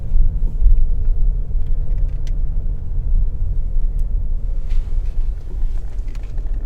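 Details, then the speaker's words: Mercedes GLE-250 road test after front and rear suspension overhaul with new bushes, ball joints and front shocks: only steady low road rumble cruising, no hum or growl with speed; earlier wheel bearing noise is gone. "तो अभी वो आवाज़ नहीं है, यानी कि wheel bearing वाला issue जो था वो खत्म हो चुका है।"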